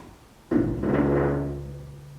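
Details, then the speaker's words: Barn find 1967 Chevy C10 Stepside driver's door shutting: two dull clunks, bottom edge then top catching the fender, which shows wear from years of contact; door was fixed before but catches again. "first sound there, that's the bottom. And then the top. Well, we can't have that. We gotta get rid of that noise."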